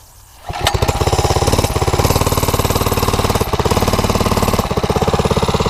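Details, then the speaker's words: Homemade ATV, 50cc two-stroke quad swapped to a 79cc four-stroke that only drives backwards: small single thumping at low steady revs, labouring without picking up; gearing too tall, barely drags itself backwards. "Wow, it barely has enough strength to drag itself backwards."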